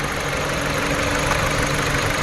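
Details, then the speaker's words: 2014 Dodge Journey 4-cylinder with check engine light, shaking at idle. Rough, lumpy, stumbling idle; unplugging coil 1 makes it worsen, isolating the misfire to cylinder 1. Coil suspected; new spark plugs and coils were bought to replace them all. "So we're gonna pop this thing loose and see if it changes. And it does. So the misfire gets worse. So we know the problem is on cylinder number 1."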